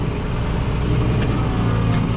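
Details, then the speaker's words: 986 tractor powering the hay hauler's hydraulic lift after cleaning out a dirt-clogged hole; engine pulls down steadily under hydraulic load with a smooth, even low rumble, lift working normally. "Just pull the hydraulics here, and that should bring that up, and then I let go."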